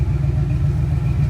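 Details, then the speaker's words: Foxbody Mustang that had been popping from a suspected spark plug misfire, after checking connections and lowering the idle: smooth, even low rumble at about 850–900 rpm with no misses; idling much better. "all right so as you can see we now have the car idling a lot better so let's listen to it now about 850 900"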